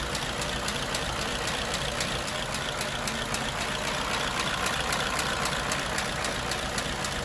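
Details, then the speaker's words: 1934 Ford Model BB dually truck, 89-year-old flathead V8, after adding an electric priming fuel pump for hard starting: steady even idle, soft regular beat, no knocks or misses; normal idle, running sweet. "there you go all hooked up and running sweet"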